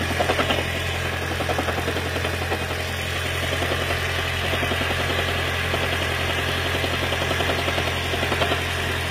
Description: Lexus CT 200h Hybrid Electric Engine 2ZR-FXE Knocking Sound during cold start due to water leakage into Intake Manifold